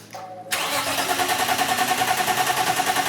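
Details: BMW E30 engine cranking after camshaft position sensor test and manual configuration, spark present: steady starter cranking about three and a half beats per second with no firing, then stops; timing out because crank pulley slipped without its key.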